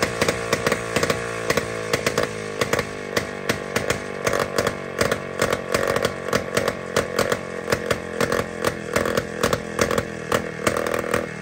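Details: Jawa 250 type 592 two-stroke motorcycle engine after a complete overhaul, running after a spark plug change; rough, uneven running with irregular crackling pulses and hunting speed; air leak, carburetor float also not sealing.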